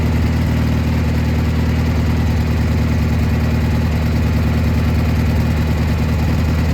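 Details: Gravely G-16 tractor, unrun for a few years, now running on its own fuel: strong even twin-cylinder throb, no knocks or misses; runs and drives pretty well, smokes a little.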